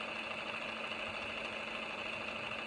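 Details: 1970s Grundig TK series reel-to-reel tape recorder under restoration, not yet lubricated, with a cracking idler: steady, even whir with constant high hum in fast forward, no catching or slowing.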